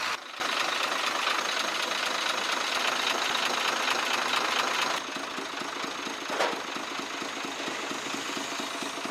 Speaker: इसमें जो है आवाज आ रही है आवाज एक नहीं आ रही आवाज दो आ रही है एक जो है टिक टिक की आवाज आ रही है और